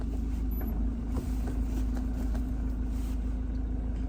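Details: Land Rover Defender Puma 110 diesel at idle after the gear stick was repacked with grease and its weights resecured: soft steady beat of about three per second with no buzz or rattle from the gear lever; gear stick rattle fixed.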